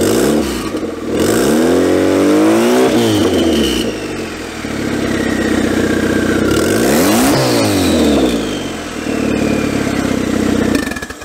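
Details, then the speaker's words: Prelude fitted with a turbo and custom downpipe, no gasket fitted, turbo lubed only with WD-40 and run briefly: repeated blips where revs climb slowly and hang before falling; sluggish revving, cause unclear. "I'm sitting here like, why does it sound like that? It should be revving a little bit easier."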